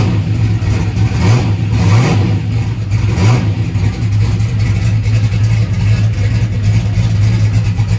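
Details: Turbocharged small-block Chevy race V8, cold start on brake cleaner after battery wiring changes: deep, choppy, loping cam idle with throttle blips over a steady rumble; normal rough-idling race engine.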